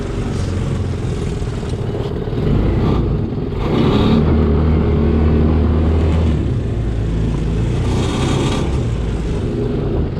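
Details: BMX 300cc side-by-side with Linhai 300cc scooter-type single, after an engine build, test-driven on a cold day with a dead battery and no antifreeze yet: revs cleanly and pulls evenly in forward and reverse, no knocks or rattles; normal running.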